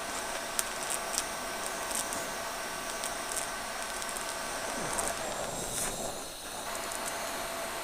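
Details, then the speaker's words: TIG welding a thick broken weld at higher heat: constant arc hiss broken by sharp, scattered pops about every second as porosity bursts out where the weld crosses a crack. "there's that crack but ever you hit a crack you can tell because it's [ __ ] pops out a bunch of porosity"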